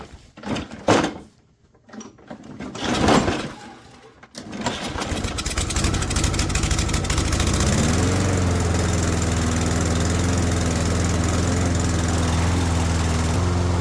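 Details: Second junked Toro mower, after cleaning the clogged carburetor jet, catches after a few pulls and clunks, briefly rises, then settles into a steady, even drone; self-propel weak from a worn, hair-thin belt. Normal running.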